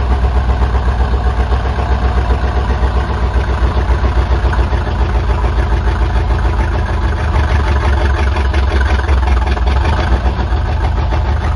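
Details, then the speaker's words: 1977 Chevy C10 Custom Deluxe V8 after sitting for years, recorded at the engine bay: loud, open, lumpy rumble with an even, steady beat, firing up surprisingly easily; normal healthy idle. "i'm so surprised how easy that fired up after sitting for that long"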